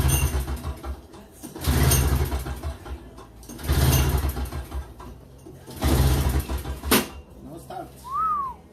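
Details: Toro CCR2450 with a 141cc R-Tek engine on mix gas, after carburetor cleaning and fuel line refit: three or four pull-start bursts of rough chugging, each dying away without catching, so it cranks but does not start.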